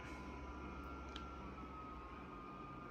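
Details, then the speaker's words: Dyson HP09 Purifier Hot+Cool Formaldehyde: fan rush with a steady high-pitched motor whine even at low speed. The whine grows with fan speed but gets masked by it; a replacement unit is much quieter. The motor whines and needs repair. "Now, if we increase the fan speed, the whine will get louder, but actually then the fan gets louder, so it's kind of better. It drowns it out at least."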